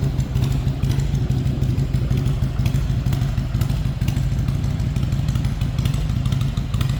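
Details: 1999 Harley-Davidson Heritage Springer, 22,896 miles, stock pipes with welded-on fishtail tips, in neutral: loping V-twin beat at low steady idle, deep exhaust note, no knocks; healthy normal idle.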